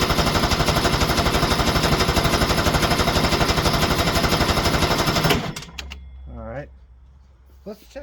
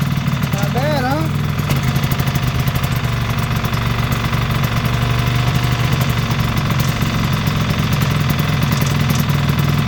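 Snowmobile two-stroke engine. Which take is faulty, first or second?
first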